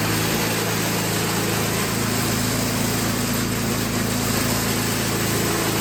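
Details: Toro 521 snowblower after the carburetor was dialed in (it still drips some gas); the small single-cylinder engine holds a steady, even buzz with no hunting or misses; normal running.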